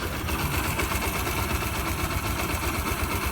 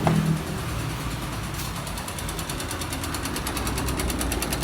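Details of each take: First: 2005 Yamaha YBR 125 after engine repair, one small engine part still missing so not 100%: low even idle with faint leftover chatter. Running again, and slightly better with a little throttle. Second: 2005 Yamaha YBR 125 found with oil below the dipstick mark, refilled, now smoking, lacking power and leaking at the clutch seal: sharp even knock about three per second, louder as the engine warms. Connecting rod knocking, plus piston and bearings worn.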